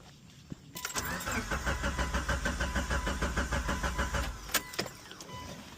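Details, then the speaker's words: Mitsubishi Evo 8, about 600whp, built 2.4 with new Haltech ECU: starter cranks steadily over three beats a second for about four seconds, never catches; crank no start, no fuel pressure, owner suspects fuel pump. "Nothing. No fuel pressure at all. Okay."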